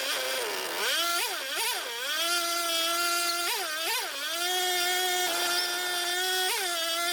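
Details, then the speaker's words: Mini bike build, single-cylinder engine at its first start after wiring, very smoky: loud, buzzy fast idle with repeated surges and dips, rattling bolts loose. Idle is set too high; the owner suspects the idle screw needs adjusting. "I got to figure out how to adjust the idle on it that's what I got to do"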